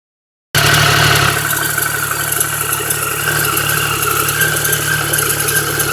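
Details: Triumph 1050 engine at steady idle with a busy clatter riding over the engine note, roughly four beats a second; some top-end noise, cause suspected, not confirmed.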